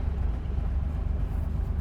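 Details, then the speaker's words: Barn-find Porsche 911 on its first drive: a deep, uneven lugging rumble as the clutch bites and the car rolls; the engine is trying to stall. "And we were rolling. You can hear it trying to stall out."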